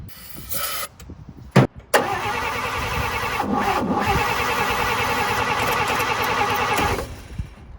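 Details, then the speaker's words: 1954 Chevy after new spark plug wires gave spark: the starter churns evenly for about five seconds with no firing; the plug wires were one position off the firing order and were later moved back one. "Okay, I think I got it. I had the plugs one out of order, so I had to just move them all back one, if that makes sense."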